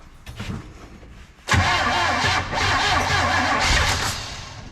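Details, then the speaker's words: 1970 Chevrolet Monte Carlo V8 that sat for an unknown time, first start with fuel poured down the carburetor: catches after about 1.5 seconds into a loud, slightly uneven idle with exhaust leaks, pumping out junk, but it runs. "she pumped out a whole lot of junk out of the gosh but it runs"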